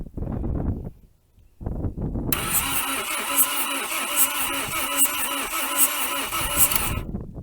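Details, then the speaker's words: 1980 Dodge Colt Challenger (Mitsubishi-built), four-cylinder automatic, rear-wheel drive, sitting 20 years since 2001, cranked by jumping the starter terminal with no plug wires: wind, then even compression pulses; healthy cranking with compression. "amazing i am blown away that turned over that spinned over just fine and it sounded like it had compression"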